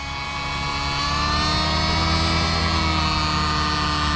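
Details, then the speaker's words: OS 55 AG nitro engine with power boost pipe and OS #8 glow plug on 30% heli fuel, in a nitro RC helicopter: buzzy drone that barely rises under climb-out load, heavy thickening smoke, no power; mid needle set far too rich. "super rich now watch that climb out no power smoke is ridiculously heavy okay climb out no power Smoke's getting thicker so we are rich"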